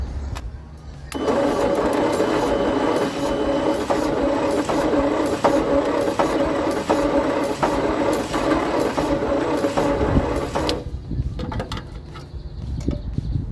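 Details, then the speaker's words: Leyland/Austin/BMC COE truck (owner thinks Austin): slow uneven cranking with odd catches and sputters, never picking up; two cylinders dead from closed stuck valves, so owner plans removing those two spark plugs to help it start on four. "It's very much trying, but it is, 2 cylinders are not helping, so that's great."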